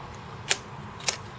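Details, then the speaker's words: Amstrad CPC 6128 floppy disk drive at power-on after manually winding the head back: two sharp mechanical clicks about half a second apart over quiet hum, head keeps stepping forward without finding its track; drive fault, owner plans to replace the belt. "see move forward move forward this is power cycles here move forward it's just continuing to move forward"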